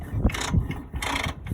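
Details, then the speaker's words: Craftsman LT2000 riding mower, 20 hp engine, 42-inch deck: engine turned slowly by hand gives a heavy, uneven clunk on each turn of the crank; motor judged shot. "No, needs new blades. Most of them need new blades, and then this one, the motor shot on it too. It's you can hear the rock."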